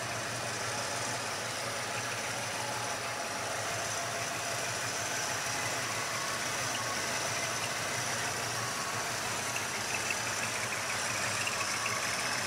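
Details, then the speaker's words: 1986 Ford Mustang GT, manual, 40k original miles, cold weather, at idle: a thin, steady high squeak over a smooth V8 idle; the cause is unknown. Owner earlier suspected the fan clutch for a whining sound. "guys hear that like squeaky sound if anybody could tell me what that is i would definitely appreciate it"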